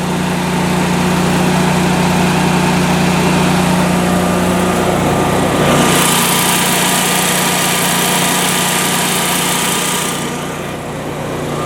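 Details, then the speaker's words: Generac home standby generator started in manual mode, running with no load: steady, even engine drone at constant speed with no surging, knocking or rattles; quieter with the lid closed; runs healthy. "Now it's going to be kind of loud, so I don't know how well you'll hear my voice, but I'll do what I can. Okay, so here we go. It does quiet down some when you close the lid, you can see."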